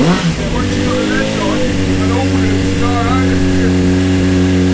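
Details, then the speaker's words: Honda CBR600 with 7,000 miles, unrun for 9 years, after a seized fuel pump in a contaminated tank was replaced: catches quickly on choke and settles into a steady, smooth idle with no misfires or rattles; runs healthily. "we've picked up the bike and she runs and she sounds Beau beautiful"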